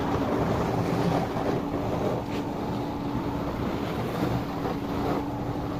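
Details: Miele dishwasher after repair, running its cycle: water swishes and sprays over a steady low pump hum, no knocking or grinding; normal wash cycle.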